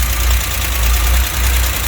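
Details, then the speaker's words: 1963 GMC K1000 4x4 with points ignition and worn distributor cap, timing way late: lumpy, uneven idle with low thumps that stumble now and then; timing light shows intermittent spark on cylinder number one, misfire. "oh i busted out the old timing light it's pretty apparent that i got intermittent spark on number one"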